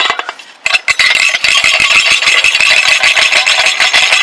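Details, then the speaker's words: Dodge Neon 2.0 exhaust: bright, tinny, irregular metal rattle like a marble in a can from a loose internal piece in the exhaust flex flange joint; to be tack welded back. "that was it was very annoying so uh turns out it's this little piece right here"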